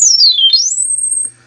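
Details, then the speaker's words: Siel DK600 synthesizer under repair, filter resonance turned up: a pure whistling tone dips, then climbs and holds high and steady, normal filter self-oscillation, so the fault likely lies after the filter. "Yeah, you can hear it's going into self oscillation."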